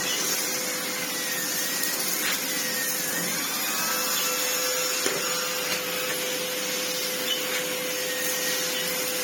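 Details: Old red Sebo C2 Total vacuum on max power after airflow restriction cleared: strong even airy rush with steady mid-pitch motor tone; turbo head spins fine and airflow is very strong; normal running.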